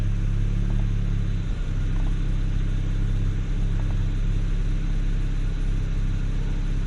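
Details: BMW 335i E92 N54 petrol engine at idle after a misfire repair: steady, even low hum with no stumbling; misfire gone and codes cleared, rpm reasonably stable with only an occasional pop, spark plugs to be rechecked.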